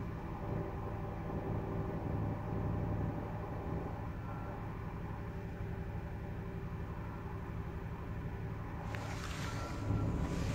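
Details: 2014 Dodge Caravan SE cold start at 13–26°F winter morning: low idle rumble with a thin steady whistle above; occurs only on very cold days, persists after dealer replaced the belt.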